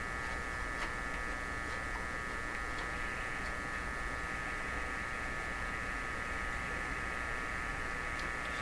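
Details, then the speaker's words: Canadian Viking EMU61 AC/DC tube tabletop radio, first power-up on isolation transformer and dim-bulb tester before repairs: steady low buzzy mains hum throughout, no stations received; hum cause not yet determined. "so that hum sound"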